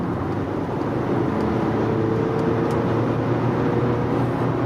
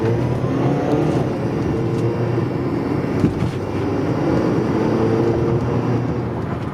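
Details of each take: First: Car with a newly installed refurbished turbo, now warm after running; the cold-start noise is completely gone, steady running with no whistle or rattle. Cold noise came from a carbon-fouled wastegate not closing fully. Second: Cold engine with a buzzy metallic rasp over the rumble after a new turbo install: carbon-fouled wastegate not closing fully lets exhaust through until 3–5 minutes of warm-up, then noise goes away.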